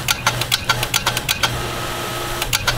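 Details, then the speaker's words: Repaired water pump running with no pressure tank and the pipe pinched off, reaching over 50 psi: fast chattering clicks about eight a second over a steady pump hum, then pauses; the pressure switch cuts off at 50 psi and short cycles. "So why is it clicking on and off like that? That's because we don't have a pressure tank on it."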